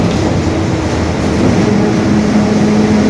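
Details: 2021 Marcopolo Torino S stretched city bus on a Mercedes-Benz OF-1721 BlueTec 5 chassis, under way; a steady low hum under the diesel drone that firms up and climbs slightly as it pulls. The differential is growling (differential whine).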